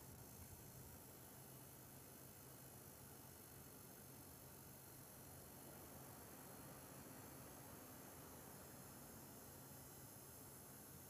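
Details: EVGA GTX 970 SSC with Arctic Twin Turbo II cooler under Unigine Heaven at ~90 FPS, 100% usage: thin, high-pitched coil whine over low fan hum, shifting to sharper tones at thousands of FPS.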